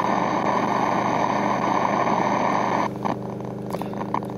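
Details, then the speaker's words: Belkin powerline network adapters streaming files over house wiring, heard on a shortwave radio tuned to the BBC World Service: a loud steady hiss with rapid popping that swamps the station, easing when the data transfer stops. "the noise you hear is on the eaton radio on the bbc world service frequency and there is no sign of the bbc world service"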